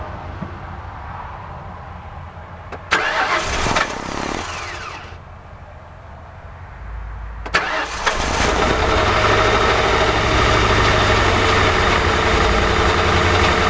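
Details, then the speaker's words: 2006 CVPI: cranks, stops, then cranks again and fires into a loud idle; engine visibly shivering, rough idle, cause not yet determined. "i'm right at the catalytic converters yeah it's running but as you can see the engine is shivering"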